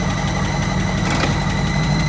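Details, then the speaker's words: 1951 Buick with its automatic shift linkage just adjusted: the engine idles steadily and evenly in neutral, with a smooth low rumble and no knocks or misses, and the rpm changes noticeably between gears. Reverse, neutral, low and drive work, but park does not appear to. "So, we got reverse and I think we've got neutral because listen to the difference in the engine RPM."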